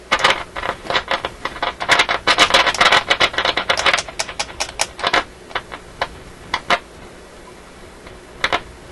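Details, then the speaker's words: RCA A24 antique vacuum tube radio: irregular dry scratchy crackles and pops in uneven bursts while tuning upward; owner suspects the slightest turn of the tuning capacitor drifts it on and off frequency and that the scratchiness comes from the tuning control. "so i think what's happening there is the slightest turning of the tuning capacitor is uh resulting in the radio going on and off frequency"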